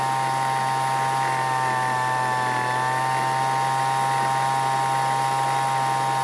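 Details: Weed Eater leaf blower after long storage, carburetor L and H screws richened, H set just past max speed: steady high-pitched two-stroke buzz at one even speed without surging or dropping out; running cleanly.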